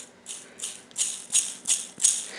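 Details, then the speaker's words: Old wood trailer wheel bearing spun by hand gives gritty, rumbling, rattling surges. It is rusted with pitted rollers and worn, so the bearing needs replacing. "that's going to be one noisy bearing and I know the will bearing shouldn't be that expensive"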